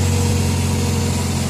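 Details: Toyota Vios that had a check engine light and would not start (starter relay only clicking), cause found as no engine oil: after adding oil, steady, even idle with smooth low hum, no knocks, misses or ticks.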